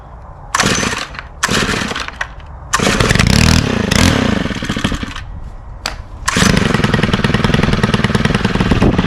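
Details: Stihl FS91R string trimmer, unused since December with fuel stabilizer added: a few pull-start bursts, then it catches and holds a steady, even, high two-stroke buzz. It runs normally after winter storage.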